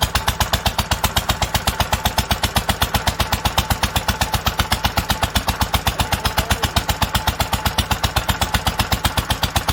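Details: 1946 International Harvester LBB 3-5 hp water-cooled engine, first cold start after choking: crisp, very even firing at about two and a half beats per second, clean exhaust note; normal running.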